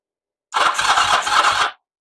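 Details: 1979 Kawasaki KZ400 project bike, being tested to see if it will fire: a brief labored crank of about five slow, uneven strokes that never catches, starter sounding short of battery power; spark confirmed, cause suspected, not confirmed.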